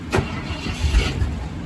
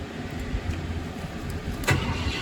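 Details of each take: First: 1972 Ford F-100 Ranger XLT after ignition wiring repair so it starts from the cab: short crank catches almost at once and settles into a steady low rumble; normal engine start. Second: 1972 Ford F-100 Ranger XLT revived after about 10 years in storage, cranked from the cab via a jumper across the neutral safety switch terminals: it cranks steadily but never starts, with no power reaching the ignition coil.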